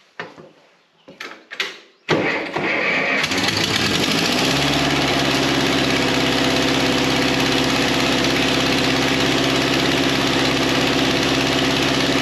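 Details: 1953 Ferguson TO20 antique tractor, first start after Marvel Schebler carburetor rebuild, throttle at about a quarter, fed from an auxiliary test tank: a few cranks, then catches into a smooth idle running a bit fast; carburetor drain plug gushed fuel after shutdown.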